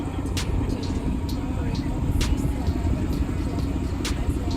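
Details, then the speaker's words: Ford Mustang 5.0L Coyote after rod cap/oil pan job addressing a tick: smooth even idle with only light injector ticking audible over the motor, no knock; normal idle. "Mustang is purring you don't hear anything you hear injectors though that's insane you can hear the injectors over the motor"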